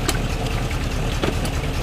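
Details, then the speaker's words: Truck sunk in about 4 feet of creek water, transmission fluid being flushed and coming out milky: low rumbling idle with uneven churning and rough surges as the torque converter cavitates from low fluid. "You can hear that torque converter cavitating because it's low on fluid."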